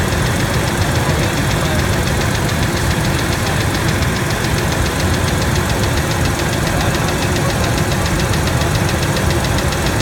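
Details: Ford F-150 V6 1997 at idle: light, fast, even ticking over the engine note; stethoscope on rocker arm bolts shows it loudest on the middle cylinder, both valves. Valvetrain tick, cause unclear.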